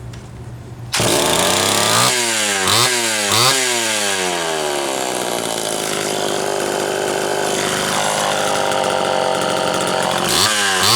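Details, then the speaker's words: Homelite Super XL chainsaw after reassembly, chipped reed had scored the piston but rings undamaged, good compression, wet cylinder: fires, blips up and down, then holds a crisp, even high rev with clean throttle response; sounds healthy. "I'm sure sounds pretty good wet cylinder it's uh got good compression"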